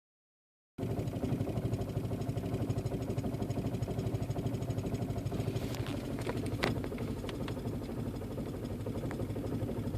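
Low, uneven idle with a loping beat and a few stray clicks; the engine hunts rather than settling, a rough idle.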